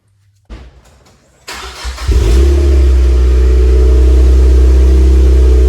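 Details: Cold start of a 2006-2015 Mazda MX-5 Miata fitted with a new Yonaka axleback muffler replacing the stock exhaust: brief cranking, then the engine catches and settles into a deep, steady, even high idle with no misses or knocks.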